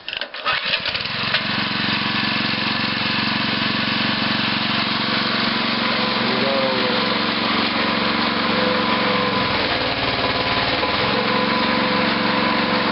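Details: Homebuilt rototiller-sized towable backhoe with brand-new hydraulic hoses, second-ever start after sitting outside: pull start catches quickly and settles into a steady, even buzzing run with no misses or knocks; normal engine start and run.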